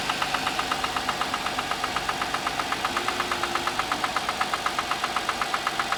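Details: Audi A6 C6 engine on a cold morning start: sharp regular ticking knock about four per second over the idle, steady and even; knock of unknown source.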